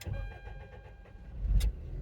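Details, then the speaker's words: Toyota Previa with intermittent P0171 lean code after head gasket replacement, before fuel pressure regulator replacement; owner suspects air getting in or fuel getting out: steady even starter cranking, no catch on first try, long hard start; cause unconfirmed. "It seems to be losing air's getting in or fuel's getting out, and it takes a long time to start. Didn't start. Now it's going to crank forever."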